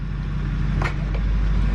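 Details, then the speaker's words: 2006 Chevy Duramax diesel after years in storage, with ABS and brake lights on and the transmission control module not communicating: steady low idle with one sharp clunk going into gear, manual mode does nothing; harsh gear engagement, cause not yet found. "you put it in gear reverse neutral drive it's kind of clunky manual mode does nothing"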